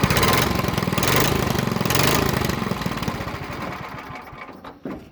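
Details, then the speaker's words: Old 4 hp single-cylinder engine just after a cold start on choke: it settles into a steady quick chug, then winds down and stops; runs normally but is possibly low on fuel. "And there she is, guys. It'll run longer, but I don't think there's any fuel in it."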